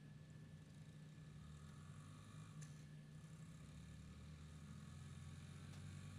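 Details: Honda XR50 single-cylinder after head gasket repair that fixed an air leak dropping idle: steady low idle, even with no misses or hunting; runs fine, oil in silencer from sitting upside down may smoke.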